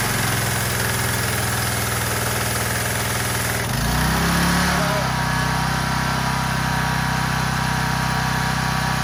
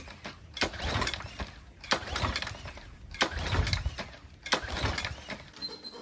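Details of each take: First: Troy-Bilt pressure washer, Briggs & Stratton engine, after clearing the gummed carburetor's main jet with compressed air: rough catching noise, then a steady, even run with no misses or surging; sounds healthy. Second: Troy-Bilt 3000 psi pressure washer with a Briggs & Stratton 190cc engine, no manual choke: four rope pulls about every 1.3 seconds, each a brief whirr with no firing; no start from a badly gummed carburetor.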